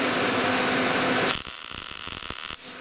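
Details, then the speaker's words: Gas-shielded short-circuit MIG welding with wire speed matched to voltage; after a hiss, a steady even frying crackle for about a second, no pops or stutter: normal MIG welding arc, wire speed set correctly. "Your more consistent sound. Now that sounds pretty good right there."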